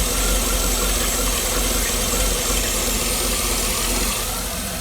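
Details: 2009 Cadillac Escalade 6.2 V8 idling with the valve cover off: a fast, light lifter tick about three per second. Owner suspects some lifters aren't getting oil; unconfirmed.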